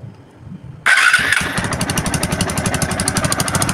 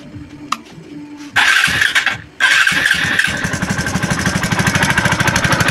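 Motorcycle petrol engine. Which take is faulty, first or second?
second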